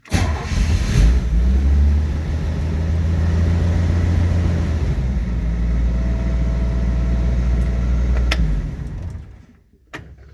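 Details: Chevy van engine started after installing new ignition switches following lost keys; cranks briefly, catches quickly and settles into a steady, even deep rumble with no misses or knocks, then shuts off; normal start.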